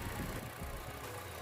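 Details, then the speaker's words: Toyota Vios petrol engine idling smooth and steady at tailpipe after replacing failed cylinder 1 ignition coil that caused shaking, misfire and stalling on pull-away; normal idle after repair. "นี่นะครับดูปลายท่อเสียงครับครับเครื่องนิ่งเรียบครับ"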